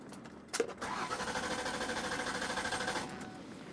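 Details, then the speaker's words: Mercury Sable that wouldn't start after a grocery stop: even starter cranking at about three turns a second with steady compression pulses, but it never fires. Compression seems present, so spark or fuel is suspected. "looks like my wife's friend Chris went out from the grocery store and her car wouldn't start takes three things for a car to run spark Fuel and compression let's see what this one sounds like"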